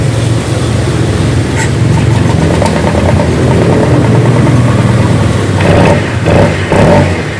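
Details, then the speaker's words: Honda PCX 160 that stalled after flood water was sucked into the combustion chamber, restarted after clearing water: catches and revs with splutter as water is expelled from the exhaust, considered normal. Normal running after flooding. "ketika dihidupkan di knalpot keluar airnya semua Nah bisa dilihat ya untuk knalpotnya keluar air Nah itu adalah proses normal"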